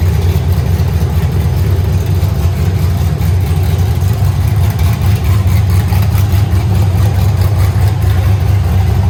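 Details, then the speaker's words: Truck being swapped to a turbo 6.0 with a 4L80E, four-wheel drive, smogged today; entire exhaust and Y-pipe removed: very loud, deep, raw V8 rumble with hard echo and no muffling, running straight out of open headers in an uninsulated shop. "good lord i mean it's loud i mean you expected that but it echoes pretty bad in here"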